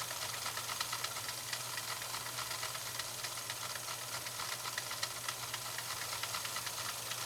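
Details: 1965 Husqvarna Viking 2000 sewing machine running with Slow Gear engaged, reducing speed to 1/5 of full speed for control: soft even ticking about four times a second under a light hiss; healthy.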